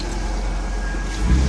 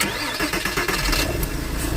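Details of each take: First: 2002 Porsche, manual, after the wiring was reconnected: steady idle with a low rumble, then clean revving with no misses. Normal running with steady RPM and steady exhaust; the check engine light is still to be cleared. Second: 2002 Porsche, manual, vandalised in a break-in: the engine catches and revs, then settles into an uneven, lumpy idle. Rough idle comes from damaged wiring; it also needs a coolant sensor and soon starts misfiring.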